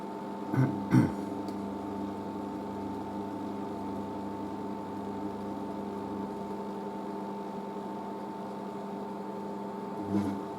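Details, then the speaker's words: Merloni Electra WD1100 washer dryer after a 50°C cotton wash and dry: steady low hum, even fan whirr and a couple of soft clunks as the dryer fan keeps running in cool-down; normal. "Right, so we'll just keeps the dryer fan going, and we're off."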